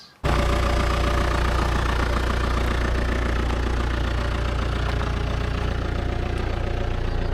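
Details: 2008 Audi A6 (DPF warning, oil pressure warning, shaking under acceleration) just started. Steady idle with a fast, regular tapping of about two per second over the rumble; an abnormal knock, cause unknown.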